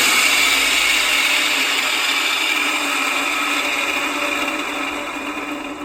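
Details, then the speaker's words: Old Infinity Spas hot tub pump motor run alone with the wet end removed. A harsh, steady high-pitched rasp with a faint rhythmic rattle comes from the worn front bearing. "so it sure sounds like that bearing on this end of the motor is bad"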